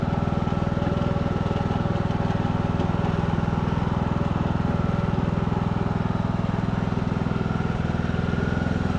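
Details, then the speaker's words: Craftsman YT3000 riding mower, abandoned four years, revived after old oil drained thin as water, spark plug cleared with compressed air and fuel dribbled in: steady single-cylinder chug at constant speed, no knocks or squeals from the pulleys; sounds healthy. "sounds good to me I don't hear anything pulley sound good awesome"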